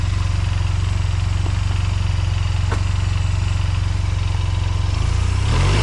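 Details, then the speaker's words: 2005 Honda Silver Wing scooter, first start after sitting neglected (moss-covered), oil and coolant checked; oil and ABS lights on at start; steady, even low putter at idle with no knocks or skips, then a clean rev blip. Normal idle and revving. "oh look at that yeah fired right up sure"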